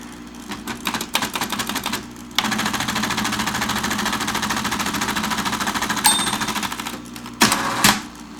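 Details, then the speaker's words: 1960s Smith-Corona Electra 210 electric typewriter: quick typing clicks over a buzzy motor hum, probably hardened rubber bushings, then a fast whirring power return as the two-speed motor shifts to high, ending in a clack and bell; works fine. "it's a bit noisy the motors a bit buzzy probably the rubber bushings have hardened over the years but it works fine it's got a nice fast power return"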